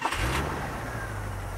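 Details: 1975 International Harvester Scout II, original 345 V8, recently new gaskets: quick crank catches at once, brief rev, then drops to a smooth, even idle with no tapping; a healthy start.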